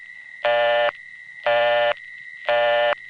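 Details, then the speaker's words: New York City phone call through an MF-operated wireline trunk to an N3 carrier trunk: a busy tone pulses about once a second over a constant high whine, which is power supply noise from the City Island central office. "that's a power supply noise from the City Island CO. It's so loud, you couldn't hear the N carrier on the last call."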